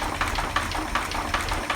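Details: 1940 Chevy 216 at idle with oil pressure around 5 and needing a rebuild: light, sharp taps about two to three a second over a soft idle, a worn crankshaft bearing knock.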